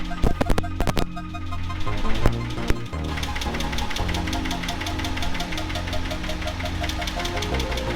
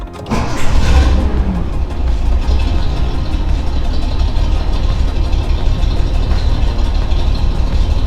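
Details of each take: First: Nissan 280ZX L28E straight six idling: sharp loud ticking about six per second from incorrect valve lash, worse than before adjustment; noise once blamed on injectors. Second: Nissan 280ZX L28E straight six after valve lash adjustment: fires quickly into a smooth, even idle with a steady low rumble and no valve tick; the earlier noise was lifters, not injectors.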